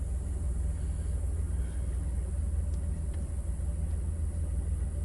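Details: Normal idle on a 2002 Chrysler Town & Country van, just after a new throttle position sensor was fitted and the code cleared: a low, smooth, even idle rumble with no misses, knocks or hunting.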